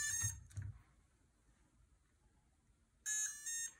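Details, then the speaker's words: MicoAir H743 AIO Pixhawk flight controller running ArduPilot, battery just connected with props fitted: bright electronic tones, two early chirps then a longer tune, meaning it is still booting and not yet ready to arm. "연결하시면 이런 식으로 소리가 나는데, 이 소리가 날 때는 지금 아직 안에 있는 픽소크가 부팅 중이라는 얘기이기 때문에 조금 기다려 주시면 됩니다."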